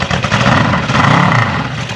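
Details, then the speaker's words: Honda CB550 motorcycle started with brake cleaner in the carburetors: catches and holds a lumpy but continuous run with a couple of throttle blips; engine now running on its own. "Come on now! That's nice! That sounded good. That was actually running."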